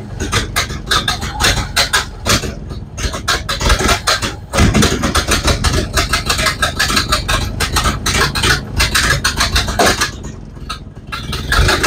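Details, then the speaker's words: Model A Ford cold start after sitting about four months, throttle and spark almost fully up: lumpy, uneven chuffing with surging loudness, likely misfiring; ran worse than in January, old ignition parts (cap, rotor, coil ~1970). "mixed results on that it started didn't run as good as it did in January but uh that's not much of a surprise"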